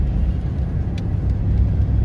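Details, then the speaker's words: 2002 Chevy Silverado road test after replacing the rear axle C-clip and refilling the rear differential fluid: a steady, low road rumble with no knocks or clunks, where it clunked badly before. Rear end now quiet and healthy. "Well, driving along here, it seems to be all right. Like right now, it would been clunking pretty bad before and"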